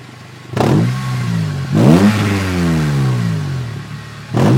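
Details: Exhaust leak on a 2003 Honda Civic Si: three quick throttle blips, each with a raspy chuffing edge that rises and falls with revs.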